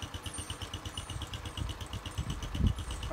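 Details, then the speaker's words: Postie bike small single-cylinder engine, first start in neutral after replacing the gummed-up carburettor, air filter, oil and spark plug: started first time, steady slow low thumping idle with light ticking overhead; runs cleanly. "Alright, let's see if it starts. Fuel is on, key is on, we're in neutral, run is on, all seems loose. Started first time."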